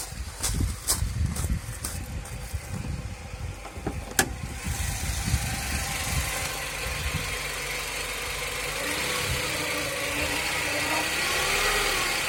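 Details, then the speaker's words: 2006 Hyundai Coupe 2.0 (gen 3.5): engine starts, then a rising bearing-like whirr builds over the running note, peaking around 1500–1600 rpm; caused by an overtight cambelt straining the pulleys, fixed by a cambelt specialist. "it's got a weird whirring noise that I haven't quite figured out what it is yet it's a bearing noise of some kind"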